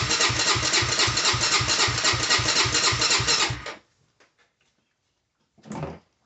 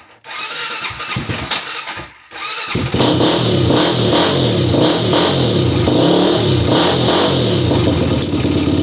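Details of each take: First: Honda 400EX ATV that cut out while riding, key on with fuel: steady starter cranking about four beats a second for several seconds, never catching; crank no start from faulty loose, weak spark plug, fixed by replacing plug. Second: Honda 400EX ATV that died while riding and wouldn't start, after replacing spark plug: cranks briefly, then fires and revs cleanly, settling into a steady, even run with no misses; running healthy.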